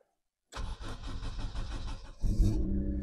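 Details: Honda Civic MB2 1.4 project car, started in neutral: a brief crank, then it catches at once and settles into a steady, even idle with no misses or knocks. It starts healthy.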